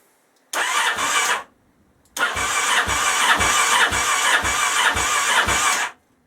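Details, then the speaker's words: Honda XL1000 Varadero, first start after rebuild: catches and runs rough with sharp puffing chuffs and uneven beats, slightly smoky; exhaust blowing at a joint because of the clamp on the other side, to be dealt with. "i'd say it sounds rough because obviously the exhaust is blowing and that's down to the clamp on the other side"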